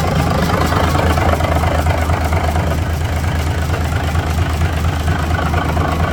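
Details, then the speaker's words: Cummins NHC250 diesel in a 1980s M818 5-ton military truck; first test run after adjustments to cure an earlier popping noise. Oil pressure reaches 60 psi, and it runs a deep, steady, even idle with no popping or misses. It runs much better than before. "definitely riding a lot better than it was when I picked it up to go in and adjust a few things"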